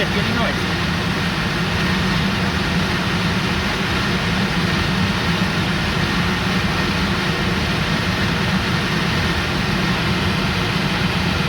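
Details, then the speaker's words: Range Rover L322 with a newly replaced blower motor at maximum fan speed: a steady, even rush of air with no screech or squeal, unlike the old motor; it runs smoothly, though the balance isn't great. "I mean, the balance isn't great on it, but it isn't making the screeching noises the last one did, so I guess it's okay."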